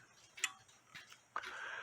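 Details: Nisshindo 100-day torsion/anniversary clock, plate 1469E, with a replaced suspension spring, heard through a small beat amplifier with an external speaker: light, even ticks at a slow, steady pace with faint room noise, so it is beating normally.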